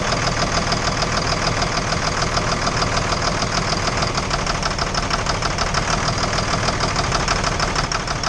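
Steady idle with a fast, uneven tapping knock running through the whole clip, about three per second; engine knock, cause not identified.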